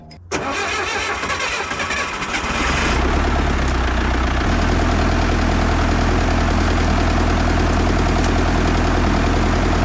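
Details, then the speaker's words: International 125E power-shift track loader diesel, sat about 10 years, after freeing a seized piston; brief crank, catches and settles into steady even low chug with no knocks; normal start and idle. "otherwise running good she's a runner was just a little bit of you know banging and prying and good old International"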